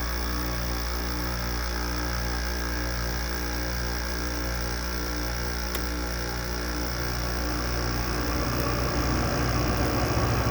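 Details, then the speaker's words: Goldstar WG5004 window air conditioner, LG compressor starting after sitting: low hum with rough regular pulsing about four per second, expected to smooth as pressure builds; owner suspects lubrication issue, oil not yet circulated; rough startup noise. "Doesn't sound nice at first, it'll sound nicer later on. when it builds pressure. Yeah, I think it's got a lubrication issue."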